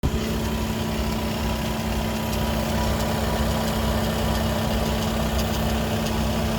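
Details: Skoda Octavia 3 (5E) RS 2.0 TDI with DSG idling with engine and gearbox hot: a steady low hum with a faint higher whine over the rumble, apparently from the DSG gearbox; a Skoda workshop could not identify the cause.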